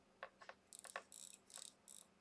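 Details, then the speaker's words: Vintage wristwatch, crown wound by hand to check mechanical versus quartz: quiet bursts of fine ratcheting clicks as the crown turns, the normal winding feel of a working mechanical movement. "you can hear it and feel it just by winding the crown. If there's no vrr, vrr, it's probably quartz or broken."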